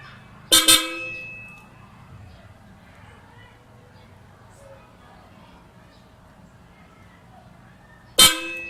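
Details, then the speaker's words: 2012 Nissan Urvan with newly installed Hella Supertones aftermarket horns, Hella relay, 15 A fuse, 14-gauge wiring: two short loud bright honks seven seconds apart, steady tone; horn sounding normally. "Alright, ang lakas niya."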